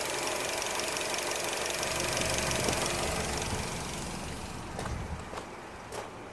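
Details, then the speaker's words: 2007 Nissan Qashqai J10 petrol at idle after AC repair, phone at front of car: busy tick with sharp clicks as the AC compressor clutch engages and releases, engine note changes and radiator fans kick in; normal, system still needs recharge. "Hopefully you could have heard the engine, the clutch kicking in, and the sort of change on the engine sound, and the radiator fans kicking in."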